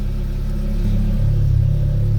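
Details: Rebuilt Audi RS3 DAZA engine left running with exhaust flap open and air conditioning on: a deep even exhaust rumble swells smoothly as revs rise, with no knocks or rattles. Normal, healthy running.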